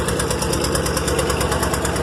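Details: Rolls Royce idling in gear with brakes locked up and brake switch still activated; heavy lumpy pulse, engine bogged down struggling against binding brakes; brake actuation valve springs suspected.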